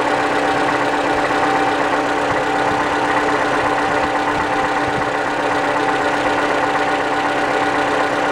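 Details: 2012–2015 Toyota Camry engine (this one a 2015, heard on a friend's car) at cold start: steady idle hum with a light, uneven tapping knock two to three times a second; cause unclear.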